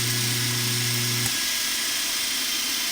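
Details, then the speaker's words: 1940 Delta model T5074 repulsion induction motor after cleaning the commutator and repair, bench test: steady hum drops away as it kicks up to speed into a smooth, even high whir with slight brush noise, no scraping or knocking. "that runs very [Music] smooth oh that's great yeah I like it kicks right up to speed yeah it runs great barely even a little spark when it kicks in"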